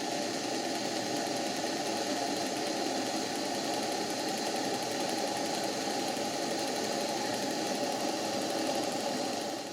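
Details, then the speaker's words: Old model steam boat engine on its first live steam test, boiler heated by a gas blowtorch at about 20 psi, driving a water pump: fast even chuffing with light ticking, no knocks, running as well as on air. Normal running. "the engine runs. I thought I'd stop talking so you could hear the engine running. It runs beautifully, does this engine, on steam just as well as it did on air."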